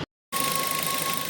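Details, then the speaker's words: Suzuki Ertiga VXI petrol, noise from engine since late January: steady thin whine around 1 kHz over running engine; source not diagnosed, tensioner bearing suspected, unresolved after authorised service visits. "ஜனவரி எண்டுல வந்து நானு வெளியில போயிட்டு வரும்போது வண்டி இன்ஜின்ல இருந்து ஒரு சின்ன noise மக்களே."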